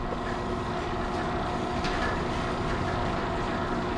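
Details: Chamberlain myQ garage door opener, test run after limit adjustment: an even, steady motor drone with a smooth chain-drive hum and no knocks or binding; it lifts the door normally.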